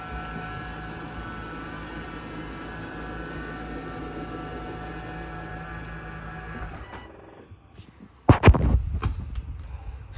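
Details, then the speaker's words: 2022 Jayco Eagle 330RSTS travel trailer, slide-out number two (electric-motor type, unlike slides one and three): steady motor whir with high whine, cuts off cleanly once fully extended or retracted, then a few clunks; normal slide-out operation. "uh it's on an electric motor so you can hear that sounds a lot different it's going to stop once it gets all the way out same thing once it gets fully retracted"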